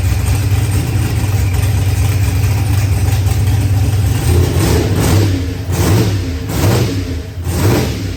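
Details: Newly built Procharged LS engine with a 12-1 crank trigger wheel, just got running: even, steady low rumble at idle, then a few smooth throttle blips that rise and settle cleanly; running healthy.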